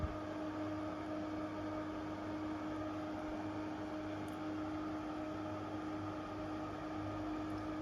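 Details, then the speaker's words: New Intervent 4-inch white axial extractor fan with pullcord (NVF100P) running normally: a steady, even hum with a constant mid-pitched motor whine and no knocks or rattles. It is louder than an Envirovent, with more motor whine, not more power. "Cool. Sounds very strong. Uh yeah, this one sounds more powerful than the uh Envirro vent, but um it's not because um it's just it's just louder. It's just louder. There's just more friction. This one's got a louder motor than the other one. Motor just whines with these cheap fans."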